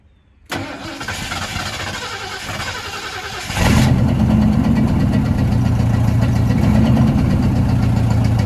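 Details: 1972 Ford F100 restarted after decades sitting: catches after a brief crank and settles to a low, uneven idle that nearly stalls; owner suspects a small vacuum leak. Rough idle after restart.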